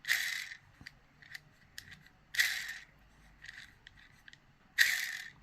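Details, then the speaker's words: Airsoft G3 SG1 DMR gearbox with freshly shimmed, lightly greased gears turned by hand, giving short bursts of dry clicking; only slight bevel gear play. This is normal tooth mesh. "the noise you hear is just the natural noise you would hear of the teeth grabbing each other"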